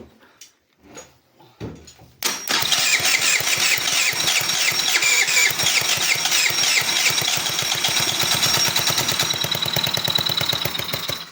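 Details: Scooter 139QMB engine first start after a full overhaul, with a new crankshaft, an unverified substitute carburetor and a working generator. After a few cranks it catches into a quick, fairly even buzzing putter with a bright rasp and runs healthily. Filter box not yet fitted.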